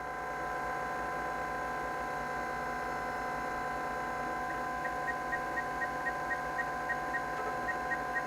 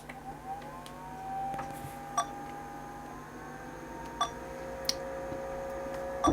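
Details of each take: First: Zenith Eazy PC, a 1987 XT clone about 37 years old: steady spindle hum with faint seek ticking about twice a second. The hard drive works, booting after the floppy attempt. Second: Zenith Eazy PC, a 1987 XT clone about 37 years old, at power-on: a few thin, irregular beeps and clicks with no clear pattern; the cause of the beeping is unknown.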